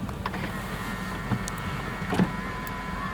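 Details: 2000 BMW 740i M-Sport, 4.4 L V8, 116,000 km: folding mirrors give quiet even electric motor whir for a couple of seconds ending in soft clicks; working normally.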